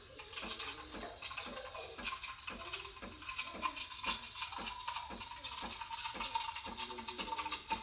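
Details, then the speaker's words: Breville Barista Express BES870 steam wand at full pressure, tip held near the milk surface at an angle: steady bright hiss with rapid light sputtering as air is injected into spinning milk; normal milk texturing. "you wanna you wanna be hearing this noise that hissing noise that means i'm injecting into the milk and giving it that creamy"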